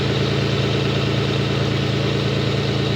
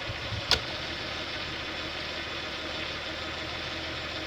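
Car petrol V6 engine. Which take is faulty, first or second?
first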